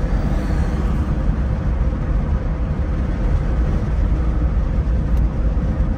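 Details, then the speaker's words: Opel Ascona Luxus convertible driving with top down on a hot day: steady low road rumble, no knocks or rattles from the soft-top frame, which makes no noise at all. "Vocês estão ouvindo o barulho da estrutura da capota batendo não né porque não bate faz barulho nenhum"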